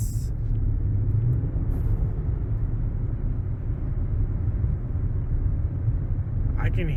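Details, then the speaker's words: Ford Taurus SHO driving after a wheel hub assembly replacement (Dorman hub, old one pressed out at a shop): smooth steady road rumble with no growl or hum rising with speed. The new wheel bearing is quiet and healthy. "So, see y'all later. She's quiet. So quiet now."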